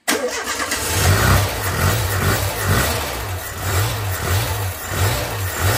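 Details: Renault Super 5 after a year and a half of restoration, started once fuel was flowing again after a fuel-hose issue was cleared: engine catches and settles into a low, pulsing throb with a few light revs, running on its own; normal.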